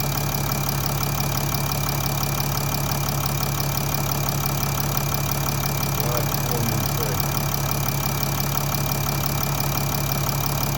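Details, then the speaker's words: 2014 Mercedes ML350 BlueTEC W166, OM642 diesel, 100,000 km, start after oil cooler seal repair, engine still fairly cold; steady low idle with faint throttle actuator whirr, no knocks or ticks; normal diesel idle. "You can hear the throttle actuator working away and everything seems to be in order."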